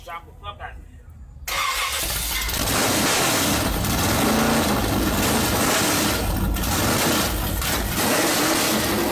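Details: Rally project Camaro, started with no exhaust or O2 sensor: a hard start catches and runs loud, ragged and uneven for several seconds before stalling; owners suspect it ran out of fuel.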